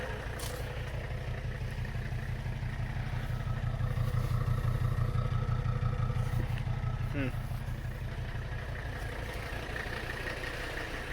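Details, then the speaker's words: Mercedes 300CD diesel after driveline work: low, deep idle thumping about three times a second with an uneven, lumpy beat and new cabin reverberation; rough idle, owner hopes it's a fuel restriction or clogged injector. "the car you can hear the reverberation in here which it was not doing before huh I don't like that um I'm gonna hope that's just a fuel system restriction or something and maybe something's just clogged one of the injectors"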